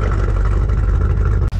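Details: 1978 GMC K15 plow truck with a V8, running: a deep, even rumble with a steady low beat and no knocks or misses. Normal running.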